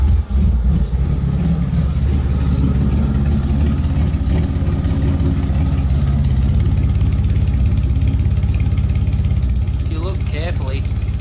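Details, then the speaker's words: Nissan R34 Skyline with new coilovers, idling while being moved off stands for a service: deep, uneven, loping idle around three pulses a second with no steady beat; rough running, cause not found. "so you guys can listen to it how bad it's wrong [Music] [Music] listen to how lumpy this thing is"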